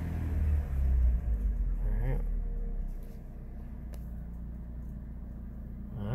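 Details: 2007 Chrysler PT Cruiser, non-turbo 2.4 L, manual, running with Liqui Moly engine flush, getting warm; owner felt it steadier with throttle, suspects possible compression issue on a cylinder: brief rev fades to quiet, low, steady idle, no stumbling or knocking; normal idle.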